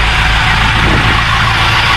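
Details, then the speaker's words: Marine Perkins 4.236 diesel (1984/85) from a boat sunk 3 months in salt water, now running after a start with start gas. Steady, even clatter with a deep low rumble and no knocks or stumbles; it runs smoothly. "Der nede bor det en motor som går!"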